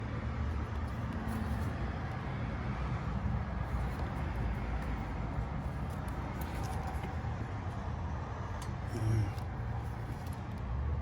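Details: 2001 Chevy Silverado 4.3 V6 that stalled and wouldn't restart, after repairing broken wires at the ignition coil: steady low rumble, even firing, no misses; running fine.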